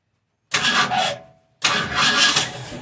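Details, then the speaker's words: 1971 Ford Mustang Sportsroof (351 per tags) after 14 years sitting, fuel pump dead, so fed 50:1 saw-mix gasoline: catches within a second, dies briefly, restarts and revs cleanly; "runs like a sewing machine," normal start. "Whoa! You hear that? That's all right. Runs like a sewing machine. I hope it's got more horsepower."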